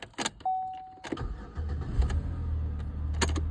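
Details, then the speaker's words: 2011 Chevy Impala with 245,000 miles and an intermittent click/no-crank not fixed by a new starter (ignition switch suspected, possibly temperature-related): this time a brief crank and a clean start into a smooth idle; normal crank and start. "of course it's not going to do it now going to crank up every time now"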